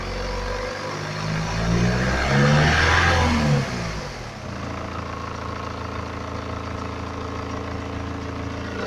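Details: 2011 BMW 318d, N47 diesel, 178k mileage, fresh oil and belt change, cold engine revved then back to idle, phone recording: light metallic rattle over the clatter; owner suspects timing chain, source unconfirmed.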